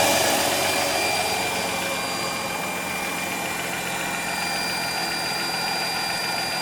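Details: Mercedes-Benz CLK320 with 3.2L M112 V6, first start after replacing a shredded serpentine drive belt, belt tensioner and upper pulley: smooth, settled idle with a faint steady accessory whine, no belt noise or irregular beat; runs healthy.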